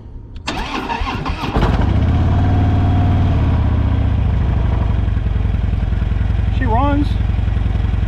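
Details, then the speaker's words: Copart salvage motorcycle, started in neutral: brief crank, then catches cleanly and settles into a steady, even idle with no knocks or misses; runs fine. "it runs not bad"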